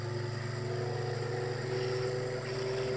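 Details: Homemade generator test with rebalanced rotor drum cylinders and new centre bearing, coils not connected, belt-driven at about 5000-7000 rpm: steady drone with a clear tone creeping upward, no thumping or shudder; balance good.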